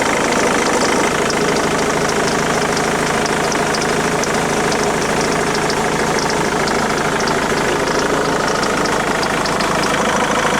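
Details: Ford Mondeo MK3 2.0 TDCi diesel at idle: steady clatter with a faint, fast ticking over it; unidentified engine noise, source not yet clear.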